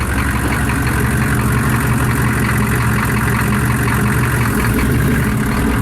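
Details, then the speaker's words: Diesel 6.5 with freshly rebuilt NV4500 transmission, first time moving under its own power after the swap, new gearbox still stiff; steady low rumble under load with no knocks, clunks or grinding, sounds good, normal running. "Oh, that sounds so good now. Doesn't do anything."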